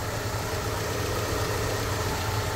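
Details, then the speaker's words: Kia Optima at 155,081 km, idling after a leaking burst power steering hose was replaced and power steering fluid refilled and bled: steady, even idle with low hum, no gurgling or whine from the pump. "자, 이제 정상적으로 소리가 돌아왔어요."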